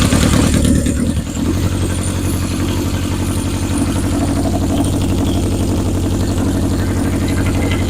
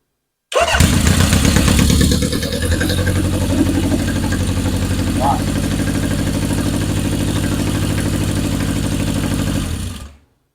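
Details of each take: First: 1977 Honda CB750 chopper during rewiring, with a charged battery and no starter solenoid installed yet. The starter grinds with a rapid, even chug, about three a second, and it never catches because the fuel petcock was left off. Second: 1977 Honda CB750 chopper, revived and rewired, cold start: catches quickly on the starter and settles into a steady, even four-cylinder idle with no misses or knocks; carbs running well, motor strong and healthy.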